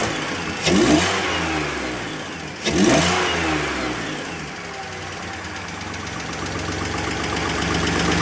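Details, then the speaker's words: 2004 BMW 325i after CCV system, coolant hose and genuine oil filter housing gasket replacement, revved with the MAF unplugged: two quick blips climb cleanly and settle smoothly with no stumble; normal free revving. "Rev's nice and free like it should."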